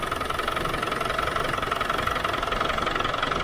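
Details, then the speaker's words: Land Rover Defender 300 Tdi 2.5-litre diesel just after service with oil change and new oil, air and diesel filters: steady idle with even clatter about two beats a second, no misses or knocks; perhaps quieter than before, normal idle. "I don't know if it's just me enough but that sounds a lot quieter than it used to I'm still having to shout pretty loud it's still a you know a 2 and 1 half lit diesel um but I think bl's running a bit better"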